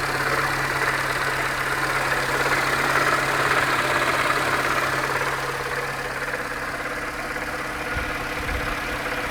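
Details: Peugeot 307 (2004) 1.4L petrol at idle: steady hum with a light, regular knock in time with the revs; persists after a full timing belt kit and with the crankshaft pulley removed.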